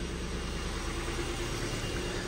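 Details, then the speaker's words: Flood-damaged Ford Fiesta salvage with misfire codes on cylinders 1 and 2: quiet, even tick-over with no stumble or missed beats; owner unsure if plugs or leads are at fault. "but it's actually ticking over and running quite nice so I don't know if it's something to do with the plugs or the leads"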